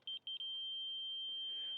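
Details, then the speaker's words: Laser level receiver on a reverse scale-grade rod at the wetland center: slow beeping while low merges into a steady flatline high tone, receiver on grade with transmitter, reading 8 feet. "I'm getting the Flatline tone that means that the receiver is right in line with the transmitter"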